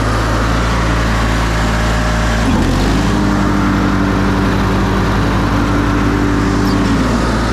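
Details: Older Briggs & Stratton Sentinel by Murray ride-on mower after starter drive gear replacement: steady, even drone, pitch lifts briefly as load comes on, then holds smooth with no misses or knocks; running healthy under load.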